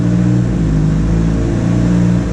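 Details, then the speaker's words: 2006 Ford Transit VH 2.3 with low power complaint, fuel trims about -20 rich: engine held at raised revs sounds muffled, labouring, dull uneven drone instead of a clean rise; restricted exhaust. "that feels a bit gutless right there let's get the revs up it sounds like absolute crap"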